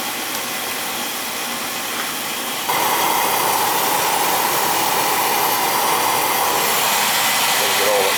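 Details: Oil boiler that was tripping its safety reset, restarted after a new Firematic part and bleeding air: steady even roar with a faint constant tone, slightly louder as the flame settles; burner firing normally.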